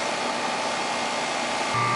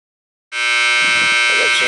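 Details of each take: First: 2.5-ton air conditioner condenser after replacing noisy contactor, repairing burnt compressor wire and cleaning, superheat around 9: steady fan hush, then compressor starts with even hum, no buzz or chatter; normal running. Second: 2.5-ton air conditioner condenser, no-cooling call with tripped breaker and burnt compressor wire: loud steady high-pitched electrical buzz starting abruptly and holding; bad contactor humming.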